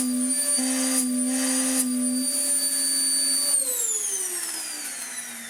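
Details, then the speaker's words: Vax Power upright vacuum (TTI) with snapped belt, first switched on: loud steady motor hum with strong horn-like train honk when handle pulled up, dropping in pitch as it winds down; air leak honking through the body. "It does, however, think it is a railroad train, with its honking of its horn whenever I pull up that."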